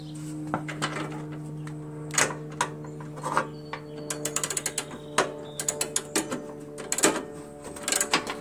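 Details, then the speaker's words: Old Jacobsen Imperial 26 snowblower, 6hp Tecumseh with points magneto: sharp ratcheting clicks in quick bunches with each hard cord pull, no firing; unexplained noise, compression present, owner suspects something loose. "I'm still a little of wondering what that noise was you know what I mean you know the noise I don't know what the noise is and when you pull it that noise"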